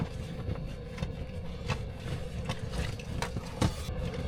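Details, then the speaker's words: DIY diesel heater, plumbed through a truck topper box and running on 110 V from a portable power station, heating the topper in freezing winter temps (41° rising to a 68° thermostat shutoff); low, even hum with faint steady fan tone, running normally. "You can probably hear the diesel heater now. Pretty sweet."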